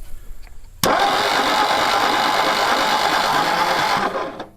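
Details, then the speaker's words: 1960 Ford F100 panel truck abandoned about 40 years: starter spins the engine for about three seconds with an even churning rhythm, never fires; no spark seen, coil wiring questionable. "Not seeing anything. We might actually have to get a a meter or something."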